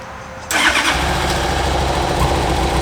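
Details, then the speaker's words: 2000 Honda CBR1100XX Blackbird, 1600 miles, after new spark plugs, gas and fuel pump: engine catches within half a second and settles into steady even idle; normal start, though smoke then comes from one exhaust. "Wow. Things start right up."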